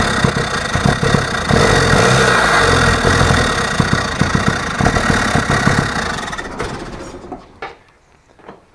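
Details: Toyota Hilux with suspected bad ignition points condenser still fitted: rough, stumbling run with uneven firing pulses about three a second before sagging and dying; weak spark, later fixed by replacing the condenser.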